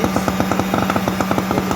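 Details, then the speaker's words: Atlas Copco electric needle (poker) vibrator on frequency converter, 47 V, after replacing faulty switch: steady electric hum with fast even rattle, no dropouts or stalling; runs properly after repair. "देखो, vibrator की सुई अब चलने लगी है। देखो, ये शुरू हो गया है।"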